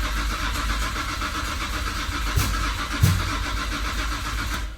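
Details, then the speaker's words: Imported Nissan R33 GTR, ran one day then no start after oil change and full 93-octane tank; spark parts replaced, owner suspects fuel pump or relay: starter churns steadily with a couple of knocks, never catches; crank, no start. "other than that the car would not start and it still does not start"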